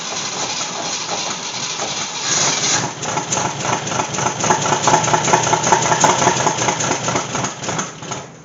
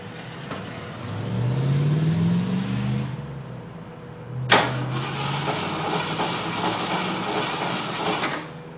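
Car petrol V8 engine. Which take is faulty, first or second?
second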